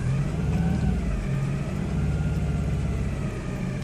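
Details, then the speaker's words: 1997 Geo Metro with an idle issue after the owner disturbed the throttle position sensor; low idle that sags and nearly dies before holding; owner suspects the TPS, unconfirmed. "And then you hear it just almost go dead, settle down."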